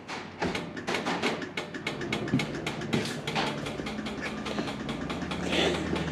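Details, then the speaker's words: Ford Courier pickup, lights checked on the column stalk: crisp, even clicking at roughly three per second, too fast, hyperflashing because the rear indicator bulbs don't work. "that tells me yeah the re one doesn't work that's is getting faster"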